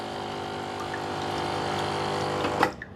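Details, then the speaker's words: Gemilai 3006Z espresso machine vibratory pump dispensing about 130 g in 20 seconds (about 6.5 ml/s): even, steady buzzing hum, then clean shut-off; healthy pump. "Okay, in 20 seconds, I'm getting about 130 g of water. So, if you do the math, uh 130 divide by uh 20 seconds is about 6.5 uh ml per second. So, I think that flow rate is actually pretty decent."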